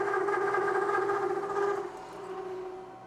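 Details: Mill cutting pre-hardened D2 (about Rockwell C20) with a 3/4-inch solid carbide endmill over an inch of engagement: loud singing howl, steady pitch, fast pulsing edge, fading as cut eases; chatter, with deflection probably from the machine rather than the endmill.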